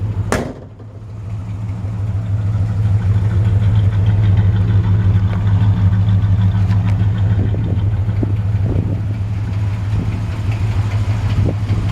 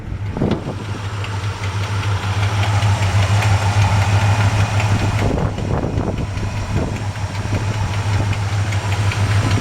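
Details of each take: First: 1966 Chevy C-10 longbed, 350 small-block V8, just started and still cold: smooth, deep, even burble at steady idle, no knocks or misses; owner notes possible tiny exhaust leak or header thump; normal idle. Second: 1966 Chevy C-10 longbed with a 350 V8, just started and still cold, idling with a steady burble and a faint occasional light thump. A small exhaust leak is suspected, possibly headers needing re-torquing after heat cycles.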